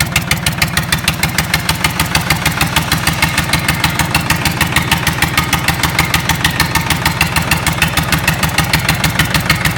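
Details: Lister Petter SR3 air-cooled three-cylinder diesel starting up after a rebuild: crisp, evenly spaced beats at a steady idle with no misses, knocks or rattles; healthy running.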